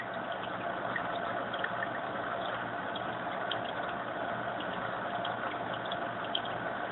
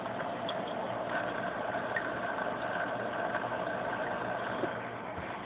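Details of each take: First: Fluval AquaClear 70 hang-on filter: steady, even splashing trickle of the water return, rising when flow is turned up; no knocks or hum; owner later found the return too noisy. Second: Fluval AquaClear 70 aquarium filter on low flow after five to ten minutes running: quiet, steady low hum with a faint higher tone, only an occasional barely noticeable rattle, running normally.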